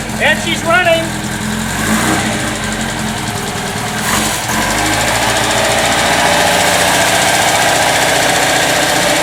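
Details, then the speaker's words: 1954 MG TF with engine freshly rebuilt, dual exhaust, started with a little choke: brief start-up flutter, then a steady, even idle holding one pace with no knocks or misses; normal smooth idle. "I think once you hear it you'll see uh what a nice job they did it so it's a smooth running babe"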